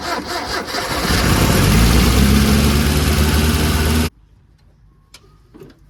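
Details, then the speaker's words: Mitsubishi Pajero 4G54 with Weber carburettor, rocker cover refitted after compression test: cranks, catches, then races to a high steady speed until shut off; throttle stuck open, idle too high; timing later found miles out with chain tension lost. "It's all up a bit too high. Too high. The throttle stuck."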